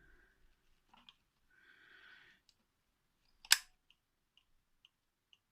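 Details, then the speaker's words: Vintage Metamec electric clock after restoration: one solid clunk as it starts, then light, even ticks about twice a second in a quiet room; it starts first time almost every time and runs properly. "I don't know if you can hear the ticking there, but it does start first time almost every time."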